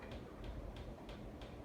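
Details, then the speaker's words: 1999 Hunter Passport II 52-inch ceiling fan in a kitchen: faint regular tick about three times a second as the securely mounted but wobbling fan rubs against its ceiling medallion. "s also the fan wobbling, but um cuz of the medallion, it actually it's making the it's kind of like rubbing against the medallion while it's wobbling. So, um yeah, it is secure though."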